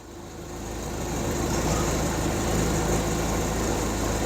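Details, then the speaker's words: Hyundai 30L-7M forklift with a GM 3.0L engine (GCP, DEPR mega injector) in open loop. Mega injector communication is lost and DTC 1173 is active. Lumpy, shaky idle with a thick exhaust note. Rough idle from running extremely rich. "okay you can see how it's a bit shaky this is running uh very rough"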